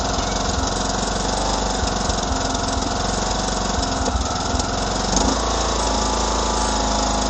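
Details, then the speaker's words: 2009 John Deere LA105 lawn tractor after engine maintenance and fuel line and tank purge, running with the mower deck engaged under load: a steady, even drone with no surging even at low speed, a big improvement; the owner plans a Briggs 594593 carburetor later. "to seems to be a big Improvement just not surging with that deck engaged even at low speed"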